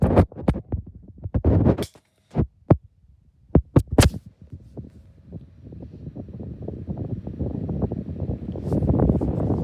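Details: 2016 Argos 7-inch desk fan hums with a rough, scratchy throb that builds as it runs, taking a long time to warm up; motor bearings starting to go bad.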